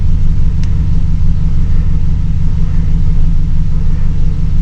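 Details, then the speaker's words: 2008 GMC Sierra LS V8 with P0300 random misfire: low, lumpy idle stumbling about three times a second as one cylinder drops out; scanner later reports cylinder 7 misfire. "ll you it's not running right now show you let you hear it it's skipping it's missing on a cylinder"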